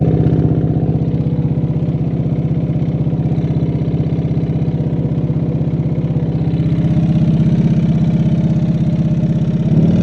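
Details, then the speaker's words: Can-Am Gen 3 Outlander after jump-start, running with almost no power after stalling; rough idle with a steady tap about three per second from the front cylinder; motor later found blown. "And now at this point, there's a tapping noise coming from like the front cylinder."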